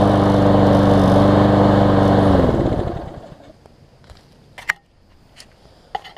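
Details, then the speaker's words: Newer Lawn Boy mower, previously sometimes failed to start when warm, after carb cleaning and warm restart tests; small engine runs with a steady, even beat, then winds down cleanly to silence with a few handling clicks: normal running. "it seems to be restarting well one last test and I won't show this on camera just because no real need to"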